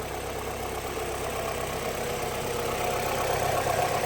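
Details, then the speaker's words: Mazda MX-5 in winter, exhaust manifold warm: smooth even idle with steady low thrum, no skips or stumbles; no misfire, normal idle. "And here we can see that the exhaust manifold's nice and warm. There's no misfire in this car, which you can hear."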